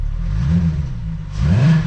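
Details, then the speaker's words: Jetta wagon with a 12-valve VR6, otherwise stock including the exhaust, with an aftermarket cone filter; two light throttle blips bring a soft rushing whoosh from the open intake, louder than on an R32; normal intake noise, no fault. "i noticed on the 12 valve vr6 compared to like casey's r32 this one with a cone filter you get way more at least like a a whoosh kind of sound out of the intake you can kind of hear it here"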